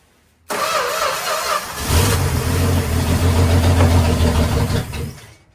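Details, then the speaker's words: 1965 Plymouth Valiant that sat in the woods for 33 years, first start after correcting the firing order: brief crank, then it catches at once and holds a steady, even run with a firm low rumble. The carburetor is still stuck. Starts and runs properly. "Success. Oh, brings tears to my eyes. That was a lot of work. But we got it running."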